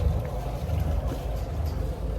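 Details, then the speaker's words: 2003 Sea Ray 360 Sundancer, twin MerCruiser 8.1L Horizon 370 hp inboards (about 1,200 hours), heard at the stern with the blower running: deep even idle burble with low exhaust pulses and splashing water, no misses or knocks; normal idle. "I'm confident in that this boat's gonna pass a survey, both mechanical and a structural one."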